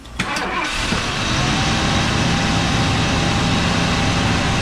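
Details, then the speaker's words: 1978 Ford F-100 V8 hot start at about 157–162 degrees after a new-old-stock Motorcraft pickup coil replaced a cheap part: brief crank, then catches at once and settles to an even idle; normal hot start, owner thinks it's fixed. "pretty cool it fired up I think that we may have fixed it"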